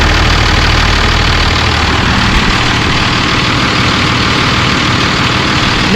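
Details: First-gen Cummins diesel started just after a fuel filter change and draining, checking for leaks: catches quickly and settles into a steady, even diesel clatter with no misses or stumbles; normal, healthy start and idle.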